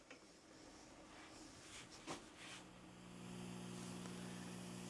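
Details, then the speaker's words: Home pro audio setup, mixer to Yamaha DBR10 powered speaker via P10-to-RCA cable into master and RCA input: steady low mains hum (ground-loop type) returns as volume is raised; third cable tried without fixing it. "e eu coloquei aqui e para minha surpresa Olha só o ronco novamente"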